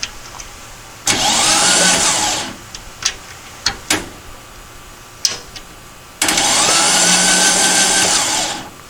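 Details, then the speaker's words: Dune buggy/sand rail engine that had sat for a long time, fogged with PB Blaster and cranked by shorting the starter solenoid with no battery fitted. Two even cranking bursts of a couple of seconds each, steady starter whine; turns over normally. "it's about half screwed up but appears to crank it properly"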